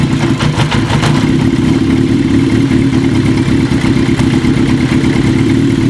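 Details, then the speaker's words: 1980 Kawasaki KZ750 four-cylinder at idle: busy, slightly uneven, lumpy beat that doesn't settle. Carb boots softened with wintergreen still leak air between boot and manifold. The vacuum leak persists and new carb boots are needed. "so that's still leaking there huh all right folks so we tried the wintergreen the carp boots did soften up a lot it made it a little bit better unfortunately it didn't soften it up enough we're still having some leakage between the car boot and the manifold"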